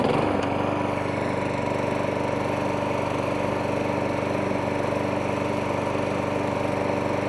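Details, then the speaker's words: 1.8 Harrier 41 auto drive electric start lawnmower after pull cord and recoil spring repair, settling into a steady even run with a slight hunt in speed, no knocking or rattling; normal running. "Nice. So there you go. 1.8 Harrier 41 auto drive electric start, now all up and running."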